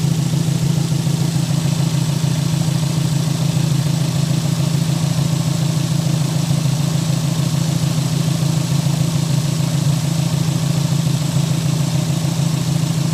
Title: Mr2 not running right misfire popping from the exhaust on idle